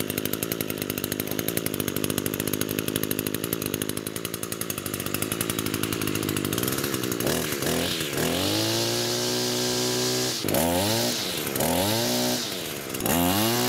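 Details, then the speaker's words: Echo two-stroke grass trimmer after the repair for bogging: steady buzz that revs cleanly up and down with throttle, no bogging or stumbling; runs like new, normal running. "so as you can see that was the problem it's a huge difference now runs like new"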